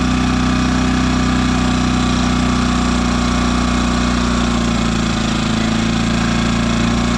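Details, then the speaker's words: New Yamaha EF2200iS inverter generator in eco mode, after turning the idle screw in about 1.5 turns so the stepper motor has a stop: steady, smooth, stable low idle. The former surging is fixed. "and there you have it guys that was my problem the whole time with this generator surging"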